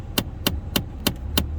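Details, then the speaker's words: Land Rover Discovery 4, recirculation button pressed: five sharp, evenly spaced clicks over a low hum as the heater flap servo skips. The flap catches on a newly fitted cabin filter installed slightly wrong and jams. "И получается, у него вот видно, как заслонка цепляет. Получается, сам фильтр, и происходит заклинивание, щелкает мот"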